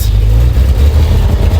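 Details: Vintage car's engine just after a cold start on choke, throttle given: deep, even low rumble swells smoothly under a quick throttle blip with no misses or pops; healthy rev.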